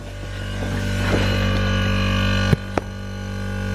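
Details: Jeweller's Bambi "silent" air compressor powering a GRS engraving machine, building up to working pressure: steady motor hum rising slowly with a couple of short clicks, no knock or rattle; sounds healthy.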